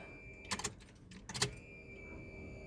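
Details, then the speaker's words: 1988 Chevy S10 Sport 4.3L 2WD pulled from the weeds, with a newly replaced 20-gallon fuel tank, fuel pump and sending unit; battery just connected, key on. A faint steady high hum under a few clicks as the new pump primes normally. "Yes. I hear fuel pump. Let's let it prime for a minute."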